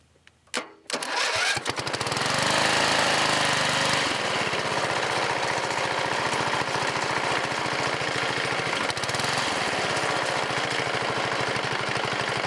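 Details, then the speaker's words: Riding lawn mower single-cylinder OHV engine with a newly fitted tractor-style muffler, running steady and loud with a rough uneven tapping knock; owner suspects counterweights or connecting rod, engine to be torn down. "I got a it's either the counter weights are making a noise or the rods making a noise for some reason in it"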